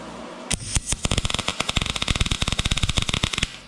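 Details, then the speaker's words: YESWELDER MIG-205DS MIG welding 1/8 in plate with .030 wire and argon/CO2, voltage raised to 10 at same amperage: harsh crackling arc with sharp irregular pops for about three seconds; voltage too high, heavy spatter. "So obviously that's very messy. Maybe 10 is a little high for that. So you could hear how it got very spattery."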